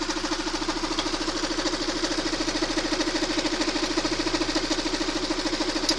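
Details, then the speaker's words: Engine idling with the timing chain tensioner propped by a bolt: the timing chain knock mostly disappears, leaving only a faint light tick about three a second; confirms the knock is from the timing chain tensioner. "И вот он затихает, звук. Практически не слышно его. Практически не слышно. А теперь я его откручиваю. И вот он загремел."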